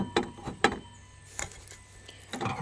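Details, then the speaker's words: Removed water pump from a 2001 Dodge Durango 5.9 L, likely a junkyard part, spun by hand: rough, uneven clicks and catches as the worn bearing skips; seal behind the impeller also failed. "And you can hear the bearing. If I can get it to spin. You hear that? That bearing is skipping."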